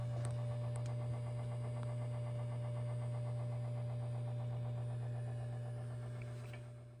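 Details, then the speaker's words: SAM Coupé floppy drive making a whirring noise: constant low hum with fast light ticking about four per second, fading out; motor spinning freely without catching the disk, owner suspects the drive belt gave up, not confirmed. "So yeah, it sounds like a motor that's just spinning freely."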